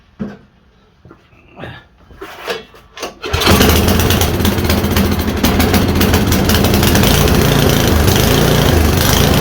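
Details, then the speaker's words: MTD Yard-Man 1024 two-stage snowblower with electric start, dirty carburetor, fuel lines soft like mush; a few knocks and handling, then the engine catches and settles into a steady, even run with no misses; normal running. "we got fuel lines over here that are like mush but uh she fired up"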